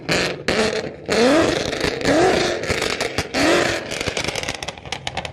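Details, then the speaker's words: Heavily modified Ford Mustang Boss 302 V8 (said over 700 hp) on a new MG Motorsport valved exhaust: deep burble at idle with three crisp throttle blips climbing and dropping cleanly, valves open and loud; healthy. "Nowy układ wydechowy na klapach. I pokażę wam za chwilę jak to [Muzyka] brzmi. Zobaczmy jak chodzi boss na wydechu od MG Motorsport."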